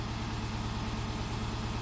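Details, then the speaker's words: 2005 Subaru Forester 2.5 L manual, restarted with evap purge solenoid unplugged after clearing codes; smooth steady idle stuck near 1,000 rpm, throttle position about 11-12% and not coming down: high idle, throttle not returning. "So normal idle. Our throttle position is at about 11. Notice the throttle position is not coming down"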